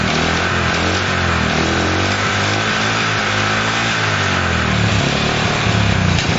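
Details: Honda CL70 single, jets already raised 73 to 75 and 38 to 40: rough, uneven, wandering beat that won't settle into a steady idle. The idle screw is far in and the idle resets after throttle; cause uncertain, not confirmed.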